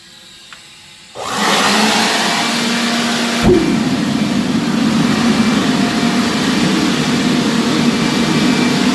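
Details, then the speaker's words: Homemade forced-air propane forge, regulator at 10 psi but running about 4, lit with a propane torch: a soft pop, then a steady even roar with a low blower hum on low setting; normal operation. "She's pretty awesome. That blower makes it kind of noisy, but it gets so hot. That's on low."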